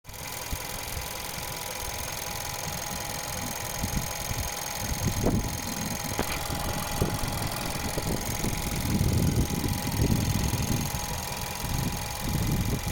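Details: Skoda Yeti 1.2 TSI petrol idling with a light, loosely spaced ticking or rattling over its low rumble; owner suspects timing chain rattle or the fuel pump, not confirmed.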